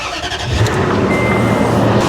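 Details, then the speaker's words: 2006 Toyota Tundra with a dead battery (1.9 V) jump-started with a portable lithium jump starter: brief crank, then the engine catches into a steady low rumble, a clean start with no stumbling. "as you saw this had no problem at all starting that Toyota Tundra with a dead battery"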